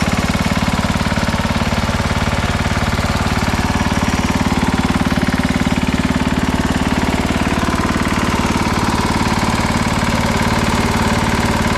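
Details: 1968 Sears Suburban 12 hp tractor with its Tecumseh engine, 55 years old and mostly used for mowing. Hard, fast, even knocking over a rough single-cylinder run at steady speed; a tired, badly worn engine.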